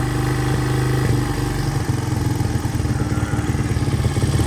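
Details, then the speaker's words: 1983 Honda XR200R after top-end rebuild, first start, warmed up after about 10 minutes idling in neutral, no cam chain slap: steady thumping idle that then quickens and climbs upward; rising idle, may need more adjustment. "It's oh, there goes the idle."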